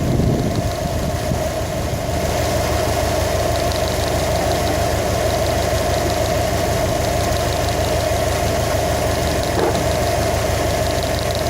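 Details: 2015 Subaru WRX STI at a steady idle with a faint, fairly regular light knock riding over the engine note and not changing speed; an engine knock being troubleshot.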